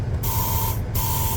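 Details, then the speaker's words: Intermittent electric whir with steady high whine in bursts about every 0.7 s from under a seat that has only manual adjustment; source unknown. "I don't know what that electric thing is If anyone knows tell me because I have no idea"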